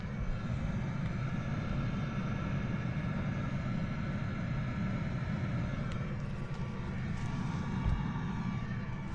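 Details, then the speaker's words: Planar/Autoterm 2 kW diesel heater newly installed in an ambulance after storage, first start: steady low roar of fan and burner rising as it detects heat and takes off, burning clean with no smoke; normal startup and ignition. "So, if it does take off, you'll hear it. It'll go Whoa. And it'll just start to accelerate once it detects heat."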